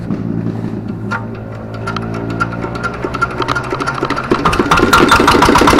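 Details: Diesel R180 single-cylinder engine from a saw bench, after piston ring installation for complaints of low power and oil consumption, started after refilling oil; catches and picks up speed to about three beats a second, running evenly without misses.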